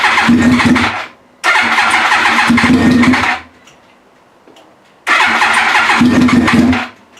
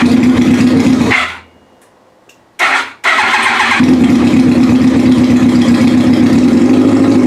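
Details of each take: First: Yamaha R1 project after reassembly (fuel pump, tank, fresh fuel, wiring harness): three bursts of fast even cranking about two seconds each with no firing; turns over but won't catch yet. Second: Yamaha R1 first startup after reassembly with fuel pump, tank, fresh fuel and wiring harness refitted: cranks, catches, cuts out briefly, then fires and settles into a steady, even buzzing idle; running healthily.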